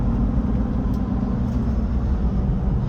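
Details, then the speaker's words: 2005 Ford F250 6.0 Powerstroke diesel with injectors done and a newer fuel pump, driving: an even, deep rumble with no misses or knocks. It runs good and the scan computer checks out okay, despite the rough-running, now no-start complaint. "So anyways, runs good. Everything's checking out okay on our computer here."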